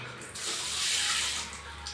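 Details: Newly fitted Muslim shower (bidet spray) on a double tap in a washroom after tiling: steady, strong hiss of water spray that starts cleanly, holds even and shuts off crisply. Normal spray flow.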